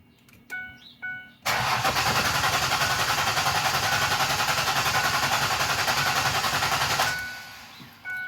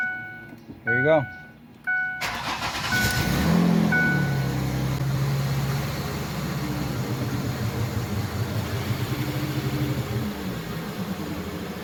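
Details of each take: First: Clear-flood-mode crank with the accelerator pedal held to the floor, to listen for mechanical problems: even, steady cranking at about 3.5 beats per second with consistent compression. Codes read afterward include system too lean bank 1 and random misfire. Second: Ford Freestar after a tune-up fixing a bad ignition coil, engine started with parts still off: cranks, catches, then a loud, raspy, puffing idle with a steady low drone; runs better but the loud exhaust leak remains.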